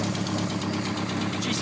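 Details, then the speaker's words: Mk2 Golf with a draw-through turbo on a Weber 45 carb, 268/260 split-profile cam and a tacked-up exhaust, needing tuning and bogging: rough, lumpy idle with a sharp chuff on every firing pulse and raspy edge, exhaust leaking a lot. "sounds like a big jumble of exhaust blows it yeah it's playing a lot"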